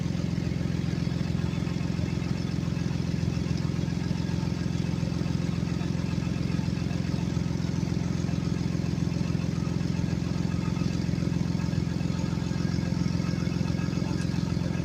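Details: 2016 Ford Explorer at idle with a deep rumble and a fast, even puffing tick; the customer reports an exhaust leak, which is suspected, not confirmed.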